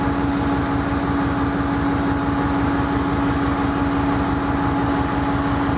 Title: Sidelined KCS ES44AC #4815 with a rough idle - BNSF at Wenatchee, Washington